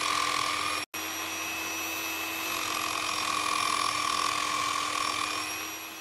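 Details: Normal motor under light load: a Nirey KE280 knife sharpener at stage 2 (0.6 kg down pressure) gives a clean, steady whine holding constant pitch after a brief dropout; the load on the motor is slight.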